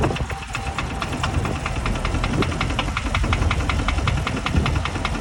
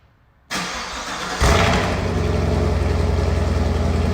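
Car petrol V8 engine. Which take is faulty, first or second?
first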